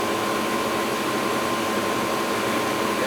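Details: Old Goodman gas furnace inducer fan motor after oil freed its binding non-oiling bearings: steady, even rushing air with a faint constant tone and no grinding or squeal. Normal running; the technician thinks it will be okay but notes the numbers in case it fails.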